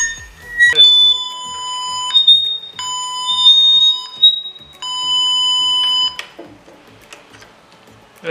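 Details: Laptop producing clear, flute-like whistles held a second or more and shifting in pitch. The internal speaker is faulty and howling on its own; one speaker is disconnected and the laptop restarted to test.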